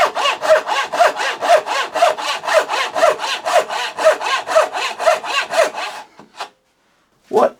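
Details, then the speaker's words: Freshly sharpened thin turning saw blade cutting wood: steady, even rasping strokes about two per second, smooth and consistent; a sharp saw cutting cleanly. "a huge improvement. It's just fully transformers."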